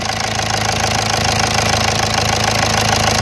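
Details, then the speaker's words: Volkswagen Vento 1.6 TDI diesel, cold start after sitting unstarted since morning, following wiring loom replacement: steady, even diesel clatter at cold idle with no misfire or stumbling; normal cold idle. "आप देख सकते cold start है, अभी सुबह से start नहीं थी गाड़ी, कोल्ड स्टार्ट में भी एकदम परफेक्ट है।"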